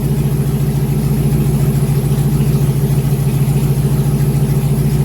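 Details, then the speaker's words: 2001 GMC Sierra 1500 HD V8 after the fuel injectors were removed and cleaned again, fuel system primed: steady, even low idle rumble with no stumbles or skips; check-engine light not flashing, so no misfire shown; normal idle. "The engine light is not flashing, so that means it is not showing a misfire."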